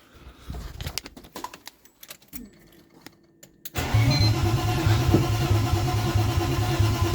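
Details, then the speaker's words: BMW E36 2.8L six, first start after engine and gearbox refit, tank emptied: cranks and runs briefly rough on brake cleaner spray; no start because fuel feed and return lines were swapped. "alright so figure out the fuel problem um a few lines were the wrong way around so feed and return were mixed up"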